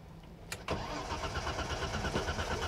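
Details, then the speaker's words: 1986 BMW 325e (E30) at a Copart auction, battery just reconnected: even, steady cranking that never catches because the car is completely out of gas; the engine sounds good. "she's out of gas she is out of gas but she cranks oh man I wanted her to start"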